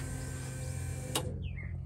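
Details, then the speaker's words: S10 truck with Holley Terminator X EFI, ignition switched on: a steady electric hum as the fuel pump runs briefly and cuts off with a sharp click, then light relay chatter; normal fuel pump prime at key-on. "so let's fuel pump run for a second and maybe up in here all the relays clicking"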